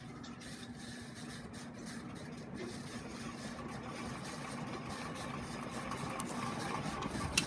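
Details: 56-inch Relite Airmaster ceiling fan, started from zero to high: quiet spin-up with a dry rough rumble and faint rattle building with speed; bad bearings.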